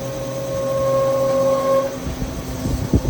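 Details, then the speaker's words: Walk-in freezer fan with OEM 2-speed motor: steady high squeal over the fan's hum. Bad fan motor bearings; motor replaced. "That's what you got. Bad fan bearings."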